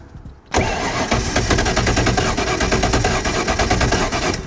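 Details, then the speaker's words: 1993 Nautique boat engine, not run for weeks, started with starting fluid and spark plugs in: brief crank then rough lumpy running; three of four injectors give no stethoscope click and aren't delivering fuel. "I put the stethoscope on the 3 that aren't working, and I'm not really getting a strong pulse or click."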